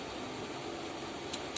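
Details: Repaired LG inverter washing machine control board energized at 110 V AC through series bulb protection, red LED steady: two sharp relay clicks a quarter second apart over faint hum; unclear whether normal behaviour.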